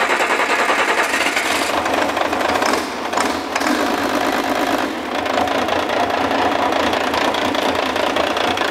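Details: International DT466 diesel with exhaust extraction, just started after bleeding fuel at the delivery valves: fast even clatter, steady beat, no misses; oil pressure 52 psi at idle; normal idle.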